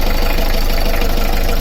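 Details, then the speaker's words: Beta 38 narrowboat diesel during service, run with alternator belt removed to trace a tapping and rattling: steady, even idle with smooth low thrum, no tapping or rattle; normal idle. "There's no noise whatsoever. There's no noise. It's so smooth."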